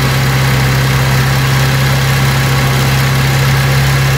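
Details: Vauxhall Cavalier Mk2 after new distributor cap and rotor arm (previously missing until warm): steady even idle hum, constant low note, no misses or stumbles; normal idle.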